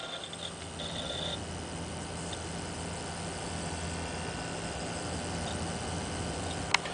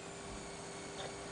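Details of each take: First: Zalman ZM-1000HP power supply in a water-cooled PC idling on the desktop: soft steady fan hum and faint hard-drive noise, no squeal (squeal appears under GPU load with Vsync off). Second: Zalman ZM-1000HP power supply, thin steady high-pitched coil whine/squeal over soft fan hiss under load (ATI Tool) with Vsync off; likely noisy capacitor or inductor, reduced with Vsync on.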